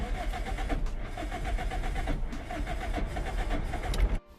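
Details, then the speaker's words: Car just after pressure-washing the engine bay: uneven, stumbling idle with lumpy beats and hesitation before it dies; misfire from water in the injector connectors, all four plugs still sparking. "oh they're in the engines really like absolute shirt at the moment I'm not you guys from here but slightly concerning it's running like absolute right now"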